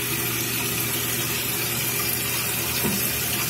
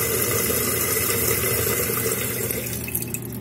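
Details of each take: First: Toilet tank opened: steady hissing rush of water pouring into the bowl that never stops; running toilet, flush valve flapper not sealing. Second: Running toilet: water rushes steadily into the tank, then tapers off and goes quiet when the flush valve flapper is let go and seals; chain should have a thumb's width of play; fill stops properly.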